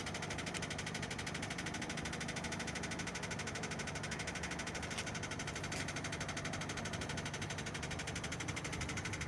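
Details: Renault Scenic 2, K4M 1.6 engine with automatic gearbox, 202,000 km: dull, fairly regular knock about three per second under a steady idle, coming from below and appearing as the engine warms up; lower-end engine knock.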